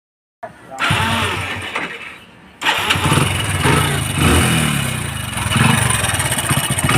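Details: Hero Splendor NXG small motorcycle engine starts and revs with a busy metallic rattle, attributed to a slack timing chain, before an engine rebuild.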